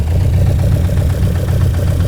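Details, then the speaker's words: 1966 Lotus Elan one-off, idle bumped up, listened through a hose at one carburettor throat: low rumble with uneven, intermittent intake pulse; that throat running weak, carburettor linkage out of adjustment. "Right, that's weak. I can tell that's weak because the pulse is intermittent."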